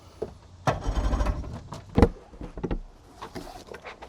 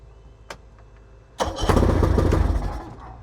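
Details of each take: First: Project boat outboard, start attempt after build, battery charged only to 52%: short uneven cranking bursts stop and start without catching; hard starting, cranks without firing; owner suspects ignition, new choke on hand, not confirmed. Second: Boat engine started with the battery charged to 52%: quiet handling, then it catches at once and settles into a steady, even run with no misfire, a normal start; the automatic choke still doesn't work.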